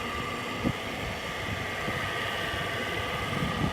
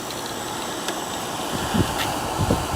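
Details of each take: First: Frigidaire window air conditioner running; steady motor hum with thin constant whine and faint rattles over the compressor drone from worn fan motor bearings; it still runs and blows cold. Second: 1969 GM window air conditioner with reciprocating compressor, started after not running for about three weeks, pressure building; soft steady hum, light low rumble, faint knocks over fan hiss; compressor sounds fine.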